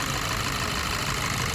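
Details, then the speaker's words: Skoda Superb petrol, freshly started, idling rough and uneven (missing), worse with AC on; codes P0303 cylinder 3 misfire, P0352/P0353 ignition coil circuit; unplugging coil connectors one by one shows cylinder 3 coil faulty, plug also to be checked; dead cylinder misfire. "अभी इसको पहले start करते हैं गाड़ी को अ ये जो गाड़ी स्टार्ट है देखो मिसिंग कर रही है ठीक है दिख रहा होगा आपको"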